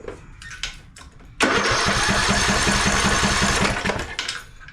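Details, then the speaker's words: Craftsman LT1000 mower, single-cylinder Briggs & Stratton 17.5 Intek, new spark plug fitted, choke off as it has plenty of fuel: starter churns about three strokes a second for over two seconds with no firing; spark tester shows no spark, bad ignition coil suspected. "using this spark here nope nothing no spark we have no spark okay no spark I believe we're going to have ourselves a I believe we'll have ourselves a bad coil"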